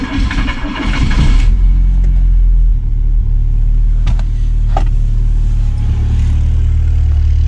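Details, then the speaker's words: 1986 VW Golf 2, 1.8 GX 90 hp petrol, cold start at about -13 to -14 °C after engine fault fixed: cranks a little slowly cold, catches and settles to a steady even rumble without misfire or popping; normal cold start and idle. "конечно в холодную немножко он медленно стартует вы видели но немножко газу dash и через одну-две минутки он работает но слышите все работ"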